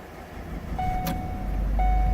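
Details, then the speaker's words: 2013 Ford Escape EcoBoost, cold start below freezing: catches within a second, settles to steady idle with faint belt tone, no startup ticks or noises; normal cold start. "up pretty quick. Definitely no startup ticks or noises or complaints. Motor started up smooth."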